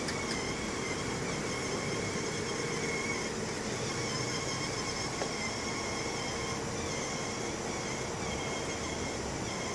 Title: BMW 640i Problem (squeaking noise from the engine)